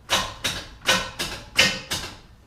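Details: 1968 Chevrolet Camaro SS with a fully charged battery and good connections: six sharp clacks about three per second with no cranking; the starter engages but won't spin the engine, so the starter and its power wire were replaced.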